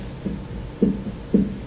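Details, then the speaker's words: Cub Cadet zero-turn mower deck spindle on the inside, no-chute side, spun by hand gives a dull rough thump about twice a second. Its bottom bearing is worn out with bad play, possibly bad from factory; spindle being replaced. "the bearing at the bottom so pretty much the bearing at the bottom is getting worn out same situation up there"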